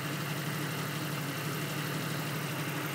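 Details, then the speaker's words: 1991 Jeep Cherokee Laredo after a spark plug change; before, it missed every other revolution. Now an even, steady idle hum with no stumble. Normal idle. "but yeah got that all done keeps running great now no misfires all smooth"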